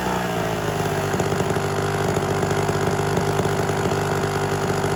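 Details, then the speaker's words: Homelite Super XL chainsaw with rebuilt Tillotson carburetor, high-speed needle set just rich of max rpm so it gurgles slightly, a light uneven burble at steady speed; the saw smoked heavily and the cylinder and piston later appeared scored, possibly overheated. "I basically want to take the high spirit to the point of max rpm at enriching it just a little bit until it starts to kind of gurgle a little"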